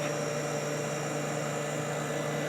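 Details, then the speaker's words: Kenmore dehumidifier after cleaning and oiling of the fan motor, cold winter conditions: smooth, steady low hum with even airflow hiss and no rattles or rubbing; sounds fantastic, running healthy. "let's give this a run up and see how it sounds oh that sounds fantastic"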